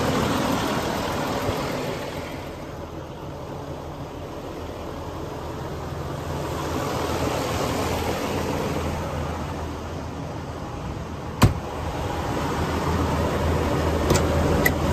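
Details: 2012 Western Star 4900FA with a DD15 diesel (475 hp, 13-speed manual) raised to fast idle. Steady, even clatter over a low drone with no misses. Normal high idle.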